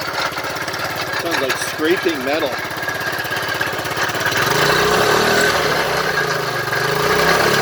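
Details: 2006 Vespa GT200 scooter, coolant almost empty, on start-up: idles with rapid harsh metallic clatter, about three knocks a second; owner suspects rod knock, cause unclear.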